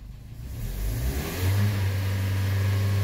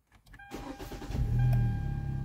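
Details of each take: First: 2013 Hyundai with check engine light, crankshaft sensor code (half the sensor not reading) and startup misfire; engine revs briefly then flattens into a low drone at wide-open throttle, unable to rev higher: rev limited at full throttle. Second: 2013 Hyundai Elantra GT hatchback 2.0 L, heat-soaked hot start after replacing crankshaft and both cam sensors (previously slow cranking, erratic tachometer): short half-second crank, catches cleanly into smooth even idle; normal hot start.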